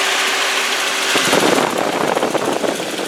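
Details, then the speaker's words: 2001 VW Passat, owner believes 1.8 turbo four-cylinder petrol, idling with hood open: steady, even idle with smooth hiss, no knocks, belt squeals or weird noises; normal healthy running. "Alright, and as you can hear, it's a good running car. There's not any weird noises or belt squeals or anything like that."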